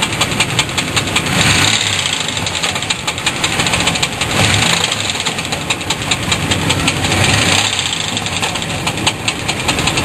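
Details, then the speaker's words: Car engine running with throttle bursts, listened to from underneath: sharp metallic knocking louder with throttle; owner suspects a loose torque converter bolt rather than crankshaft, unconfirmed. "I think this be the T converter bolt for this it's a lot less serious than a crankshaft"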